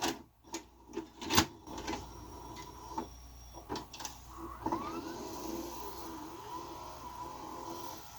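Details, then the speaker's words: JVC HR-J3009UM VHS VCR, said to be broken with the fault unknown, loading and playing a tape; a few soft clunks as the tape threads, then a quiet, even mechanism hum; plays and works quite well. "It's playing. Let's fast forward. It's working. It's actually working quite well."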